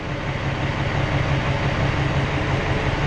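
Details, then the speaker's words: Peterbilt 379 with ISX Cummins diesel at idle during a cylinder cutout test, injector disabled: low idle pulsing about three beats a second with a slightly uneven, lumpier note as one cylinder is cut out. "So here we can cut the cylinders out one at a time, Eli. It means we can take the power away from the injector and make that a dead hole."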